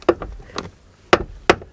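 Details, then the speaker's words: Buick driver's door opened and closed: sharp woody pops and knocks from a broken door check; greasing won't help, so the part is replaced. "that's called a door check it's broke right there no matter how much you grease it and lube it it's going to keep popping"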